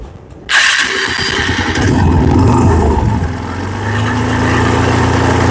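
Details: TVS Apache RTR 150 single-cylinder at idle, noise persisting after three engine services in two months: engine fires and settles with a dull uneven rumbling drone underneath; worn internal engine bearings, engine then removed for overhaul.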